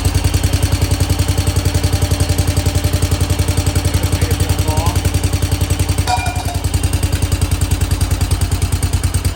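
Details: 1968 Case 155 hydrostatic garden tractor, first start after sitting with a dry tank and fuel added to the bowl: the small engine settles into a steady, even, low thumping beat on choke, with no misses or knocks, running cleanly.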